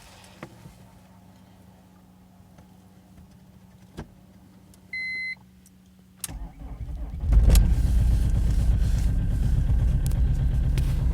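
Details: BMW E46 320d Touring diesel, cold start at 0°C: a couple of clicks and a chime, then it cranks, catches quickly and settles into a steady, even cold idle; normal cold start and idle.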